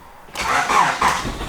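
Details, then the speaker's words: Honda Prelude INX started on the key, in park with foot on brake: short crank whir catching within a second into steady idle; normal start, no grinding or hesitation. "so it starts on just the key you know I went for the starter motor"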